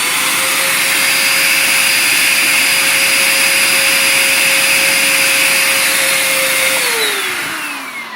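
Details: Bissell Powerforce Compact upright vacuum, water lift test with hose fully blocked, a little over 50 inches: steady high motor whine holding pitch, then winding down at switch-off; motor running unloaded from blocked airflow.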